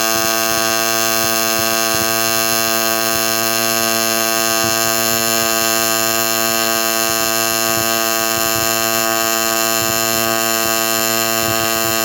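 A steady, even electric buzz holds one constant pitch with no crackle or sputter; a stable, well-set AC arc on aluminum.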